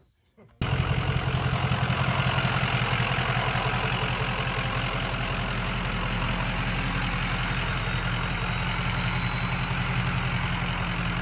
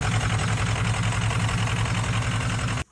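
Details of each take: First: Bullnose Ford F350 with 6.0L Powerstroke V8 diesel swap, after fixing a misfire from a broken number five injector: steady even idle with deep low rumble and light clatter. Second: Ford 6.0L Powerstroke V8 diesel swapped into a bullnose F350, idling: uneven lumpy beat from a misfire, injector number five broken in half; intermittent code for cylinder two also noted.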